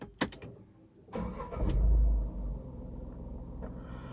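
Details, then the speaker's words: Tata Tigor BS6 three-cylinder petrol engine starting, measured from inside the car with a sound meter: a brief crank, one flare, then a smooth, even idle, maximum 60 dB and average 51 dB. "so the maximum level is 60 and average is 51 60 is good"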